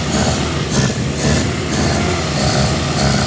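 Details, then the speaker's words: 1954 Austin A30 barn find laid up since 1971, first start in 52 years, choke pulled, with a little throttle: fast idle, a bit lumpy at first but steady with no knocks; normal running, still cold and not yet up to temperature. "nice excuse me I need to show me mates as well that sounds all right now yeah take it for a spin"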